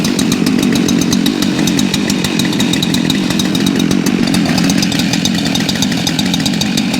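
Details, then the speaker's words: Husqvarna 372 professional chainsaw, older model, warmed up at full throttle: steady crisp high-rev buzz without surging or stumbling, sounding better than the newer AutoTune 572; normal high-rev running. "So this is what the 372 sounds like. Just a better sound, but I think it has something to do with the with that whole AutoTune"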